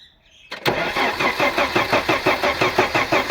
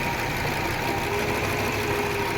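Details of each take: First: Audi 100 after head gasket replacement (old gasket burnt at cylinder 4, compression crossing between cylinders), reassembled and first start attempted; starter spins steadily but engine never fires, crank no start; no ignition current found, to be checked with multimeter. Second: Audi 100 after head gasket replacement (gasket burnt at cylinder 4 had caused a tapping noise) and ignition current problem fixed; now starts and idles smoothly with even beat, no knocking or misses: normal idle.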